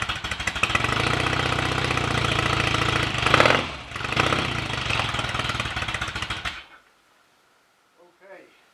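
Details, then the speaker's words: Rebuilt 750cc Royal Enfield Rickman Interceptor twin, first start after engine rebuild and gearbox rebuild, valve clearances set, new oil and filter: fires willingly, steady even beat, sounds mechanically good; idle and ignition timing not yet set, fuel tap leaking. "but we're almost there with it now it sounds good mechanically it started willingly enough so"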